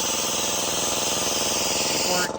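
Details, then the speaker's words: Used Sanborn 1.6 hp air compressor that had bogged and wouldn't pass 20 psi (capacitors suspected), start test with tank drained to about 95–100 psi: pump chugs at a quick even beat without bogging. Normal start under tank pressure. "on at about 95. So, motor had no trouble starting. I think we're done."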